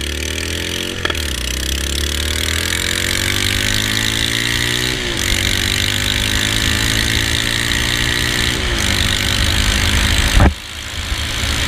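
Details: Honda Rebel 250 idling with a sharp, raspy puffing tick at every firing under the exhaust note; exhaust header leak because the header nuts loosened and fell off.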